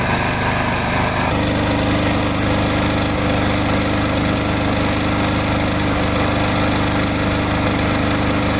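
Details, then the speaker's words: Lawn mower engine that had been surging, running after Seafoam was added and another capful mixed into the tank: brief pitch change, then an even, steady buzz with no hunting or surging. Normal running. "i threw another cap fall in and i shook tank up a little bit and i started up and it it really seems to be a lot better"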